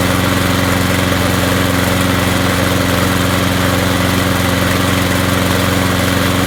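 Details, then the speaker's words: Craftsman push mower, Briggs & Stratton 6.5 HP, that ran rough, after replacing a broken flywheel key, rebuilding the carburetor and adjusting governor speed by bending the linkage: constant firm drone, no misses or surging; runs smoothly. "so that runs a lot better now what I did here is when I took this and bent it and pulled it that way it speeds it up"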